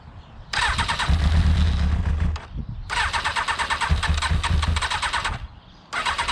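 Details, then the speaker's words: Motorcycle left standing a month, after fuel additive was added: repeated bursts of fast starter cranking, each stopping without the engine catching. It cranks but won't start; water in the fuel is suspected and a battery charge and fuel drain are planned. "well i honestly thought it would start today but uh obviously it doesn't want to"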